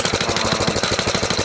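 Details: 1970 Rupp Scrambler small engine at idle: a fast, even knock of about twelve per second that goes away with a little throttle.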